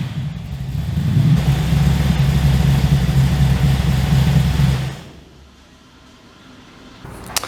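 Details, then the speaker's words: 355 stroker V8 in an HX one-tonner after 11 years stored, walk-around shotgun mic; deep, even growl through a loud aftermarket exhaust that holds steady through a rev and settles back cleanly; healthy strong-running engine. "Okay, so really happy with how that runs and how it sounds. So I think the exhaust from Repco Engineering sounds amazing. I'm really happy with that sound. It's loud, but it's not over the top obnoxious loud. It's got a nice growl to it."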